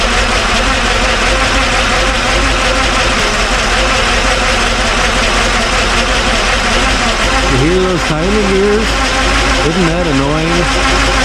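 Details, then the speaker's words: Ford F-100 after a V8 swap, new bracket fitted: steady V8 idle with a constant high whine from the timing gears riding over it. "I'll set the camera up fire it up so you can hear the engine what it sounds like the timing gears so on and so"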